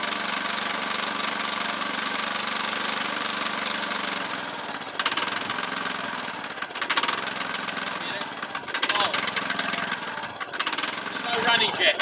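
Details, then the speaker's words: Lawnmower, a single-cylinder engine that arrived as a non-runner, idles with revs rising and sagging unevenly. Hunting on the lower side is blamed on the primary idle circuit and a likely blocked idle jet; suspected fuel supply fault, not confirmed. "if it's hunting on the lower side it's your primary circuit which is your idle your idle jet yeah so that's where the issue is"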